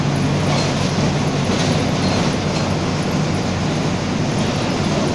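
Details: Grande Londrina bus 4130, 2007 Torino OF-1722M, on line 314 Olímpico (recorded 19/11/2018): steady low droning hum under road and body noise while cruising, worn differential roaring under drive; differential whine.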